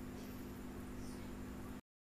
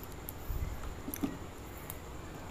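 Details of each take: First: Aquarium air pump after opening and repair runs with a soft, even buzzing hum with no rattle or stutter; it now runs smoothly. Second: Aquarium air pump running: a few handling clicks, then loud, harsh steady buzzing drone, pump very noisy yet delivers no air; chamber holes clogged with dust.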